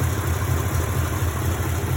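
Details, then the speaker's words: 1952 Mercury flathead V8 idling with the distributor vacuum line disconnected during an inconclusive timing-light check: steady, even burble, no misses; it runs fine but feels weak on power. "Alright, I guess we'll call that quits. I may have to consult the real mechanic on this and see what's going on. It certainly runs fine."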